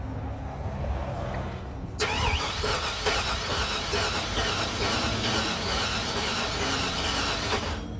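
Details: 2002 Chevy Silverado not starting: starter churns unevenly for several seconds during spark check, engine never fires; crank no start. Spark confirmed present, compression check next; cause not confirmed.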